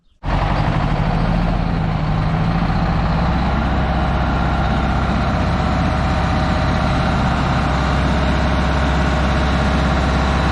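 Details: Old fire truck, vintage low-mileage Detroit Diesel two-stroke; catches straight away and settles into a deep, steady, even idle with faint blower whine; healthy normal idle.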